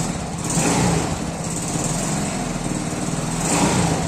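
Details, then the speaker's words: 110cc Cub-type bike on a new carburetor (main jet 76, idle jet 35), started cold without priming: single-cylinder idle with gentle swells in speed and steady firing, no misses or rattles; running better than before. "but the truth is that it feels impeccable much better even than how this bike was previously running"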